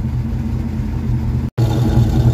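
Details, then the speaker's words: Mustang V8 on a completely cold start after new factory-style tailpipes: lumpy cold idle heard at the tailpipes with a faint puffing crackle from a passenger-side exhaust leak, louder the lower the idle. "sounds a lot better back here but I can definitely hear something leaking I'm going to go find it driver side's about 99% now now the passenger side is leaking ah and the lower the idle the more you can hear that exhaust leak the crackle"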